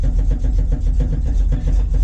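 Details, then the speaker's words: 1973 Plymouth Scamp running cold: deep, uneven lopey idle at about four pulses a second with some weaker beats; runs poorly whenever cold, cause unknown. "Yeah, whenever it's cold, doesn't run worth a shit."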